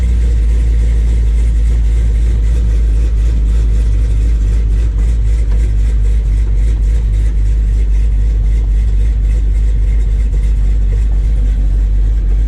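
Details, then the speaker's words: Square-body Chevy with 6.0 LS engine and SM465 transmission, in neutral with good oil pressure: deep, even engine drone, no grinding or whine, slightly noisy but the transmission sounds fine. "still a little noisy that sounds fine to me a little noise here but some perfectly fine"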